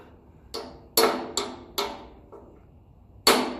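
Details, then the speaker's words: Massey Ferguson 35 axle oil seal being tapped in with light hammer blows: dull taps, the last ringing sharp and metallic as the seal's metal bottoms on the axle, seal fully seated. "You'll hear the metallic ring out of it. That's the metal of the seal hitting the axle."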